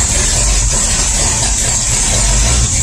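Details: V8 started with a little choke on a cool night after the broken pushrod was fished out; a loud, raspy but steady idle through a holed exhaust, now firing on all eight cylinders. It smoked a lot.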